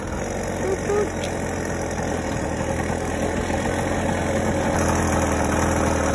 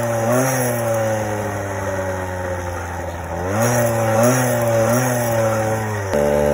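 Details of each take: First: 50cc single-piece-jug two-stroke motorized bicycle engine, about 3,000–4,000 miles, cold day, just richened after the clip was moved, ticks over at a steady, even idle with no misses or surging; healthy normal idle. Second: Motorized bicycle 50cc two-stroke single-piece cylinder with chrome lining, upgraded, about 34 mph; buzzing high wavering idle with pitch hunting up and down; uneven idle, owner suspects slightly lean mixture, later richened by moving needle clip.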